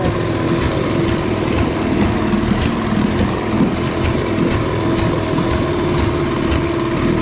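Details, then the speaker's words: 1973 Evinrude 18 hp two-stroke outboard on a 14 ft aluminum boat: uneven, stumbling beat with dropped firing pulses in the burble; engine misfire, cause not yet found. "sounds like it's missing quite a bit but at least it runs good and we'll figure that miss out figure out what's wrong with that"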